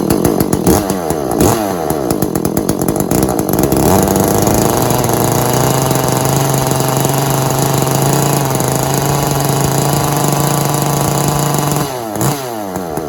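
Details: Echo CS400 chainsaw after oil pump replacement, chain brake off: a few rope pulls, then it catches and holds a steady, even buzz for several seconds before easing off; healthy running, checking oil pumping.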